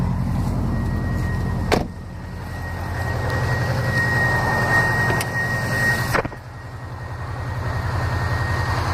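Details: 2005 Saab 9-2X Aero, 119K miles on engine, stage 2 COBB OTS tune, cold start idle: steady low rapping about 3.5 per second under the exhaust note; owner suspects piston slap, data logging shows no knock.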